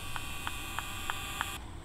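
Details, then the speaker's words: Converted school bus sound system: speaker whine persists after moving speaker wires away from a power wire; steady high whine with soft tick about three times a second, unchanged, not fixed; suspected interference through RCA cables. "so i moved them up about to test it i hear whining already yeah i think that doesn't sound any different didn't fix it"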